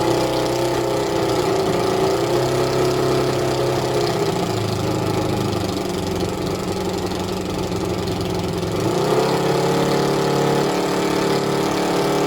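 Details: Suzuki ZL600 Eliminator at idle during carburettor balancing with vacuum gauges: steady idle with a slightly uneven, wavering beat and shifting tone; rough idle as the left two carbs were far out of balance with each other.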